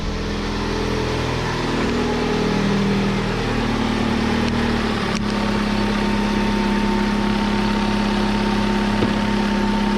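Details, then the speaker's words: 2002 Hyundai Elantra after replacing a power steering pump with a bad bearing, front wheels off the ground and steering cycled: a steady idle with only a soft hum, no whine or groan. Pump now quiet, though the fluid still looks milky. "so there she sounds nice and quiet now"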